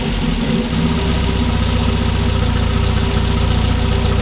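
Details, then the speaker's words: 1967 MGB GT idling after first start after sitting: low steady even rumble, no knocks or misses; oil pressure up to 50 psi, tach not working; normal idle. "All right, so we've got 50 PSI of oil pressure at idle now. It came up. The tach isn't working."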